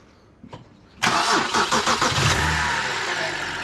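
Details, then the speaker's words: BMW E92 325i N52 started with the AC compressor belt removed: the engine cranks, catches and settles into a smooth, quiet, even idle. The horrific knock with the belt on is traced to the AC compressor. "Yeah, there we go. So as soon as we take the belt off, it is quiet."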